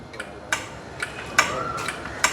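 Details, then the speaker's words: Honda 50cc two-stroke scooter: crisp light ticks about twice a second from an indicator buzzer fitted inside the head console, sounding while the turn signal blinks. Working normally. "Indicator போட்டிருக்கு எரியுதுக்காக உங்களுக்கு தெரியறதுக்கான அந்த sound உங்களுக்கு அது கேட்க தான் எல்லாமே work ஆகுது."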